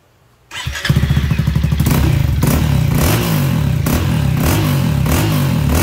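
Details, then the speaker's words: Honda ADV350 scooter after CVT drivetrain disassembly, cleaning and inspection for a strange noise, no fault found: engine catches and settles into an even, throaty beat, no grinding or pulley rattle; normal CVT drivetrain. "Nếu có tiếng ồn khi khởi động động cơ khi mở máy thì có vấn đề. Không có tiếng ồn nào từ động cơ."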